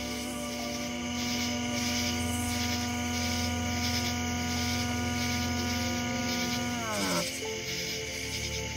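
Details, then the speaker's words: Seestar S50 smart telescope after the early August 2025 firmware upgrade: loud buzzy, grinding multi-tone stepper motor whine while slewing, pitch dropping as the move ends; noise absent after a restart. "some people people are reporting that the device is making a a very uh strange like a grinding noise and I want you to hear that right now."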